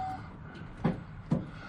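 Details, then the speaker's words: Ford F-150 with a new battery: two faint separate clicks when the key is turned, no cranking; owner suspects the solenoid or starter; starter click, no crank. "i don't think it's a brand new battery you can hear it kind of click one time when you turn the key"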